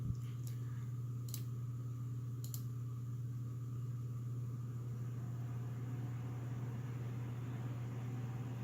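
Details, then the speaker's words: Corsair SP120 LED fans at full speed, front of a Corsair H60 (2018) radiator in push-pull with the stock H60 fan at rear, in a Silverstone Sugo SG13 case. Steady low hum and even airy rush, no rattle: normal. "Now I'm gonna go ahead and turn on the SP120s at full speed, and you could hear the difference compared to the ones that come with the H60 water cooler."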